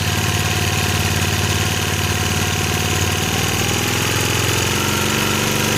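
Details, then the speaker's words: 1965 Honda E300 generator after restoring spark, running with choke in and throttle low, even single-cylinder putter, rhythm easing slightly near the end as speed drops; smooth, healthy running, light powered. "Alright, gang. I know it's turned into a long video, but nice little project. Fun little generator. 1965 Honda E300."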